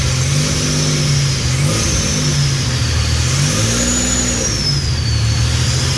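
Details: Freshly built 3800 V6 race engine on its first start: smooth revs climbing and falling with a clean, even exhaust note, no knocks, smoke or leaks; normal healthy revving.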